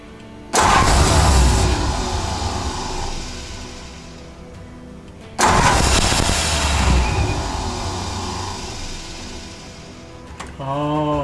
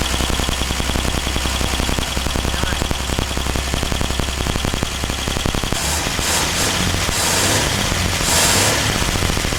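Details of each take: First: 1949 Ford truck (Vortic project), first start attempt with the exciter wire jumped from the starter solenoid to the coil: two cranking bursts flare briefly and fade without idling; ballast resistor suspected of too much resistance, next step is 12 V direct to the coil. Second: 1949 Ford truck, first start after rewiring with ballast resistors bypassed and 12 volts fed to the coil; fast exhaust pulses beat steadily, then smooth into a hissing rush, with a little smoke out the back; running well.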